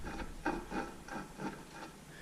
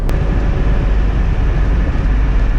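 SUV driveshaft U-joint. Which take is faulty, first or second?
first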